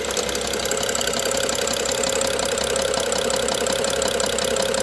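Steady idle with a faint, fairly regular tapping riding over a hissy, busy top end; a knock of unknown cause.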